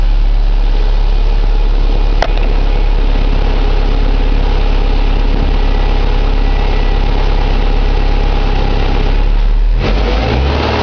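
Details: 2006 Subaru Impreza 2.5i, EJ257 SOHC naturally aspirated H4 boxer, 52k miles: rough idle with uneven ticking about four per second; owner suspects pulley, timing belt bearing, piston slap, tappet or rod knock, unconfirmed. Engine ticking at idle.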